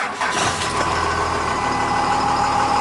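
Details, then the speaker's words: 1999 Dodge Ram Cummins turbo diesel 4x4, 223,365 km, well looked after: brief crank, catches at once and settles into a steady even diesel idle clatter with no misses or knocks; runs really good. "Runs really good."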